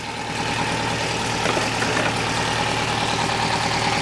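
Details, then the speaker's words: 2006 Opel Astra H Kombi 1.6 (105 hp) 4-cylinder petrol idling unevenly with a stumbling, shaking beat; code P0302, cylinder 2 misfire returns after clearing; owner suspects the coil, possibly the cylinder or the injector. "انا هلا بتطلع الموتور ما عم بدور بشكل متزن وفي رجع، اذا كانت واضحة عندكم تماما."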